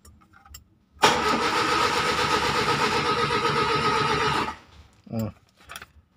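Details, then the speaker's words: Kia Timor DOHC (Sephia S515i) cranked: starter churns the engine steadily and rapidly for several seconds but it never fires; cranks but won't start. "in this video we will discuss a little about the starter which only whines but the engine won't start"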